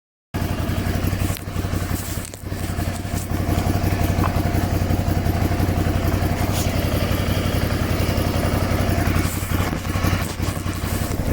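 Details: Triumph Scrambler Sixty2 idling with an uneven, rough thrumming and a light irregular rattle over it; owner reports a strange noise, cause unclear.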